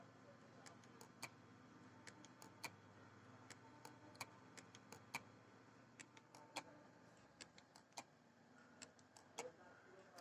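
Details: Toshiba 1 TB hard drive: sharp, bright clicks repeating unevenly, several every couple of seconds, over a faint steady spinning hum.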